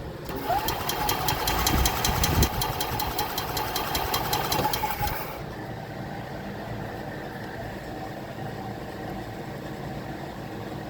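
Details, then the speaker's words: 2021 EZGO Express L4 EFI gas golf cart: about five seconds of steady cranking with even chug and buzz, never fires; crank no start, no spark and no fuel, no 12 volt getting through despite good fuses and new ECU, throttle body, coil, plug. "No spark. No fuel. Of course, you need 12 volt to get fuel."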